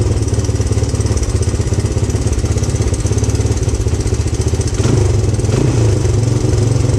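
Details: 1997 Honda XR200R single-cylinder dirt bike, long stored in a barn, on non-ethanol fuel after sealing a leaking O-ring with gasket maker: fires up and runs with a steady, even beat, picking up when revved; sounds healthy.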